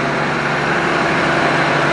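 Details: 1965 Plymouth Savoy slant six automatic, revived after sitting 19 years, warming up after repairs: steady, even idle with smooth exhaust hiss, no stumbling or shaking; engine running sweetly.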